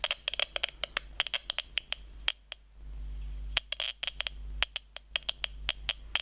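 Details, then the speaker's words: 433.92 MHz data receiver module with an audio amplifier tapped off the data pin after the Schmitt trigger: harsh irregular clicks and pops over a thin high whistle, badly distorted audio, not sounding well. "Well, not really sounding too well."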